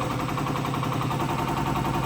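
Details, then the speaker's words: Detroit injector on a test stand at max torque, 285–290 cubic mils, like a hard pull: sounds slower but more fuel, rapid crisp even pulses over a loud drone; healthy injector. "See, it sounds slower, but it's putting a lot more fuel. Right. Now we're up to 285 cubic mils, so That's like if you were at a real, like a hard pull."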